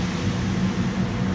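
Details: Iveco Daily diesel minibus, 6-speed manual, while driving: low wavering squeak comes and goes over steady engine and road drone, from the undercarriage, typical of dry suspension parts.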